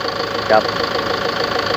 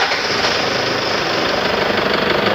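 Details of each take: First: Toyota Tiger D4D 1KD 3.0 diesel after valve adjustment and oil change, previously knocking on cold start with white smoke and dipstick blow-by: even, steady idle with only light regular clatter, no heavy knock; engine sounds healthy. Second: Toyota Tiger D4D 2.5 diesel (1KD/2KD) at cold idle after morning start: sharp, uneven knocking clatter; also white exhaust smoke and smoke from dipstick; mechanic suspects intake/exhaust valve problem, plans valve adjustment and injector removal and testing.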